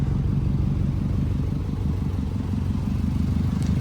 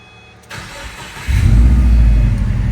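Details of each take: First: Subaru WRX with rebuilt engine, new rings and gaskets, switched to OEM exhaust, idling with hood open: steady idle with quick sharp puffing tick over the low exhaust note; exhaust leak, later fixed. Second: Subaru WRX after a full engine rebuild (new piston rings, new pins, Subaru gasket kit) with freshly recharged AC: brief crank, catches at once, settles into a steady even low idle with no misses or knocks; no smoke; AC kicks on very cold; normal start.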